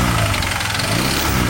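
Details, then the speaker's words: Vario carburetor scooter with new Kevlar V-belt and dual clutch bowl, idling: light, rapid ticking over the engine note, which the owner attributes to a damaged connecting rod bearing and rod. "Nah, bisa kalian dengar kalau motor saya itu agak sedikit ngetrik ya, atau ngetrek suaranya. Karena ini ada kerusakan dari bearing stang seher dan batang sohornya juga gitu."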